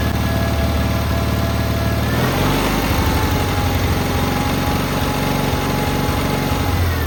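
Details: Cub Cadet 682 garden tractor with Kohler KT17 twin, first start after storage: smooth, even low twin-cylinder beat settling after a blip at two seconds, no knocks or misses; runs really well.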